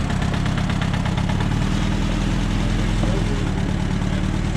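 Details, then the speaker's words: 1958 Allis Chalmers D14 tractor running again, PTO engaged and spinning: loud, even low rumble at constant speed with no knocks or misses; engine pulls the PTO smoothly. "PTO spinning."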